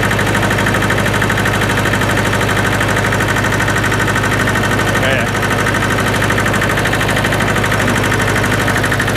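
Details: Hinomoto E230 diesel tractor, parked for years, running on revival: steady, even idle with a low thrum of about three beats a second and no knocks or misses. It runs healthy.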